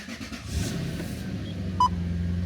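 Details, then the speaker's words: 1997 Toyota Celsior V8 UCF21, cold start in very cold Washington weather: brief crank, fires right up and settles into steady, even, slightly raised cold idle with no misses; normal. "fires right up. It's going to idle a little bit higher because, again, it's a cold start."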